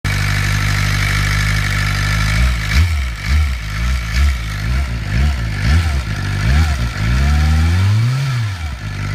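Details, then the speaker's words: 2007 Suzuki GSX-R sport bike idling and blipped with a thin, steady whine above the engine note; owner suspects it comes from the upper engine rather than the clutch side. "I'm not sure if it's coming from this side though. However, there's not much oil coming out of here, if any. All I see is my clutch spinning. Sounds like it's coming from up here."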